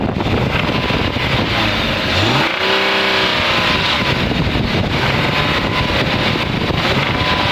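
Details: A BMW E36 328 with the M52 engine has a dry metallic rattle at idle and on blips, rising with revs. The owner suspects the tensioner or VANOS, but it seems to come from the rear inlet side of the engine; not confirmed.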